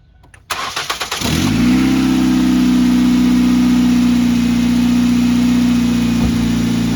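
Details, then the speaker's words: 2006 Ford Focus ZXW wagon, 105,000 miles, start-up after replacing the squealing idler pulley, the tensioner pulley and the belt: quick crank, then a smooth steady idle with no belt squeal or chirp; belt tracking correctly. "So what do you think? Not squealing anymore. Our belt's on right, it's tracking. Sounds pretty good for what it is."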